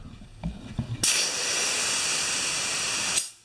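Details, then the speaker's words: Air compressor revived after sitting 8 years, testing the relief valves: sharp steady hiss for about two seconds, then cuts off cleanly; relief valve venting normally. "I'm gonna stop it at 25 pounds and we're gonna just see if we have control with these relief valves"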